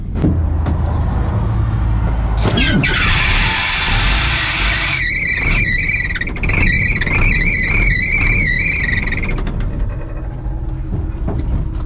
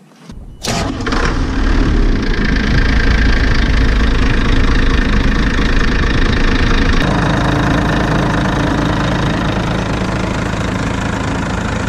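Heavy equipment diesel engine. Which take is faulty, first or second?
first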